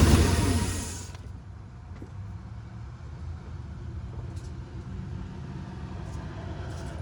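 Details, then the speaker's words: 2005 Ford F-150 4.6L V8 at idle, newly replaced coil and spark plug pulled by owner: catches then rough, stumbling idle with uneven low thump, a bad misfire; suspected coil packs, cause unconfirmed. "Yeah, I don't know if you guys can hear that, but that's pretty damn bad."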